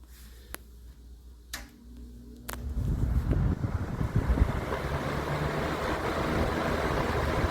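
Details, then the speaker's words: 1980 Lakewood S-223 20-inch box fan, switched on high after sitting unused a couple of weeks: switch clicks, then a rush of air swells and holds steady and smooth; moves good air, running normally. "Moves really good air. Can't beat these fans, for sure."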